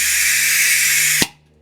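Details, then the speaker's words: Snap-on tool (about $400) that does not work: loud steady high hiss of escaping air that cuts off sharply, worn-out O-rings letting air bleed straight through the tool. "You can hear O-rings in it, they're gone and stuff like that."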